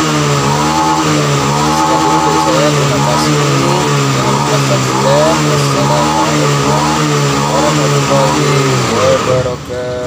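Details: Honda Vario FI scooter that sputtered at high rpm, after the TPS sensor was reinstalled and repositioned slightly upward: it revs up and down repeatedly, pitch rising and falling cleanly, pulling smoothly at high revs.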